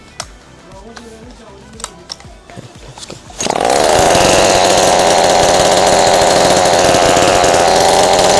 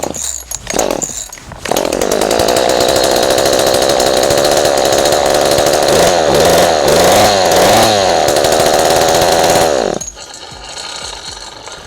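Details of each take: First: Ryobi 40cc chainsaw, hot, after cleaning (it previously would not start): quiet handling sounds, then it fires and holds a steady high, even buzz with no stumbling or misfire; running perfectly fine. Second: Ryobi 40cc two-stroke chainsaw after flooding, with fuel in the exhaust: catches and runs at a steady buzzing high idle with a brief rev. Started after hard starting; owner suspects the exhaust filled with fuel.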